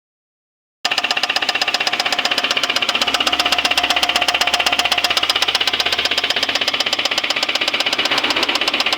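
Hard, sharp metallic knock about four per second, evenly spaced and loud over the idle; severe internal engine knock, cause undetermined.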